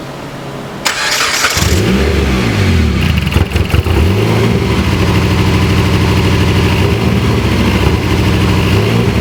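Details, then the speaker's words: Dodge Caliber after coil wires were cut and reconnected through a harness: engine cranks, catches and settles into a lumpy, stumbling idle; unplugging one coil changed nothing, so that cylinder is not firing, with a wire harness issue suspected. "So this TPMS is fucked up, but your car, when I unplugged this cylinder's not firing."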